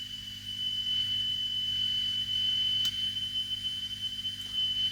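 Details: 1975 Sony TC-136SD cassette recorder after restoration: a single steady high test tone holding a constant pitch with no wavering while the touchy tape-speed adjustment is set to about 3000 Hz, so the tape speed is now correct.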